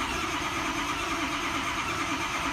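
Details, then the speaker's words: Truck, about 107,000 miles, ICP sensor in valve cover, key cycled: steady fast cranking that never fires; ICP builds quickly to about 200–290 psi, code points to IPR valve wiring, likely crank no start from IPR circuit fault. "290 look at that alright so a good chance I mean we got IPR issues wiring issue something like that with how fast it built up to 200"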